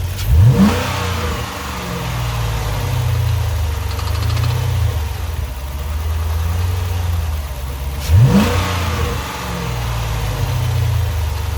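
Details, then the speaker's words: Chrysler 300C SRT Design Hemi, 198K miles, with a replacement engine of about 50K miles: two sharp revs over idle with a faint metallic rattle on acceleration; source unknown, and the owner fears a dropped valve seat. "all right hopefully you heard some of that rattling sound so i don't know what that is sounds weird i'm getting worried thinking i dropped a valve seat or something"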